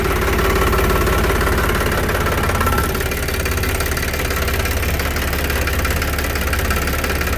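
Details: Tractor hydraulic steering held at extreme left or right lock: a faint high whine rides over a steady diesel idle, then fades as oil bypasses through the relief. Normal relief valve whine at full lock.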